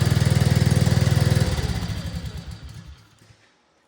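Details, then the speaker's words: 2024 Arctic Cat ZR 200 snowmobile after throttle cable adjustment: small engine holds a fast, busy idle with steady pulse, track spinning on a bucket, then shut off; idle now too high, cable needs more slack. "as you can see it's idling a lot higher and the track was actually spinning"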